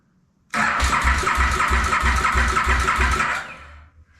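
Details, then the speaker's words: 2008 KTM Super Duke 990 first start attempt after reassembly on a fresh battery, rectifier ground not connected: strong, even cranking at about three compression pulses a second with a loud click, never fires; cranks but won't start. "all right it's turning over what that get that loud click"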